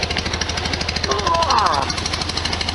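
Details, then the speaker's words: 1973 VW Super Beetle air-cooled flat-four idling after valve cover gasket and oil/filter change, with leaking on the other side: a steady, even, soft regular beat with no knocks, ticks or rattles; normal idle. "not too much noise coming out fantastic can't really feel anything there"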